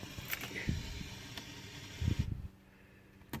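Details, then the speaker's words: 454 RV engine with full tank and 14 volts at the battery: a few sharp single clicks on each key turn, engine never turns over; failing starter, replaced. "but like I said the I just started it a minute ago and it would did the click click and then they'll like and just like made some sort of crazy noise and not too happy with that"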